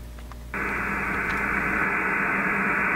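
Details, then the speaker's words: Ham radio receiver on medium wave near 474 kHz after grounding the ungrounded fiber internet terminal: plain, even hiss with no buzzing, whine or ticking; the interference is completely eliminated and the noise floor is clean. "we go none of that interference at all completely eliminated"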